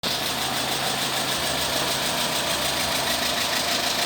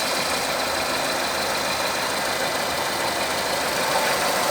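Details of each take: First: Renault Megane 3 petrol K4M engine at idle: a rapid, diesel-like tapping at about three per second over the engine, from the cam phaser knocking with play; phaser to be dismantled. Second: Renault Megane 3 K4M petrol engine after repair, with the cam phaser and its control valve replaced: smooth, even idle with a steady tone and no ticking or knocking from the cam end; the engine sounds healthy.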